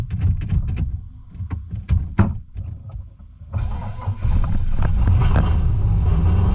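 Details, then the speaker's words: Holden VN Calais after the rear wheels locked on its first drive: in reverse, uneven revving bursts, then a heavy dragging drone as the engine loads against the locked driveline, believed at the time to be a blown transmission. "See how it's loading the engine? Trans is just [ __ ] blown up."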